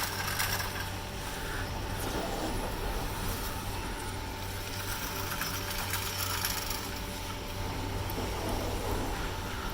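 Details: Poma TB-41 chairlift grips on Tremblant's fast TGV Express passing the 16-sheave initial hold-down depression tower make a distinctive irregular clattering rattle over a steady low hum, normal for these grips.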